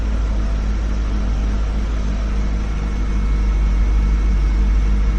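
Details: 2003 BMW E39 M5 idling after replacing the spark plugs with NGK BKR6EQUP; no dash codes yet, and the owner notes a coil pack could still be at fault. A smooth, even low idle drone with no stumble, running fine.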